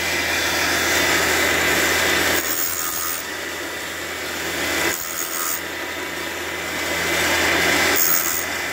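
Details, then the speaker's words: Fordson E27N engine valve job: a valve-refacing grinder cutting a valve face at a 44.5 setting with coolant running. Steady hiss of the stone lightly kissing the valve, with an even cut and no chatter; grinding normally. "There it is, running out nicely on the valve. There we go, you can just hear it."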